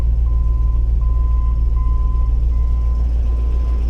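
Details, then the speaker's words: Land Rover Discovery barn project, running after hard startup, before warm-up; rough idle with steady puffing pulse from underneath the car — small exhaust leak under the vehicle. "kind of cool too a little bit of an exhaust leak right under the car"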